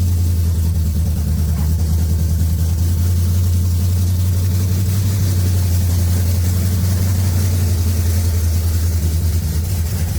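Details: 1980 Pontiac Trans Am V8 after distributor install, head work and new TH400 build: deep steady even rumble, no ticking or knocking from the top end; runs healthy.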